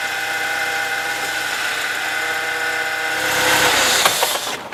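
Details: Power steering pump on a BMW E36, engine running after a complete purge with new fluid filled to the brim of the reservoir (previously nearly empty, black fluid, metallic grinding); now only a faint even pump hum, no groan or whine: healthy.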